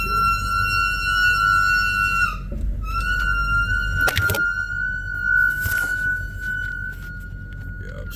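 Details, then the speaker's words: 2005 BMW 745Li, brakes needing service, creeping forward about 10 meters to park: loud, steady high-pitched squeal cutting out briefly, pretty horrible brake squeal. "I definitely know you guys heard that that's the brakes"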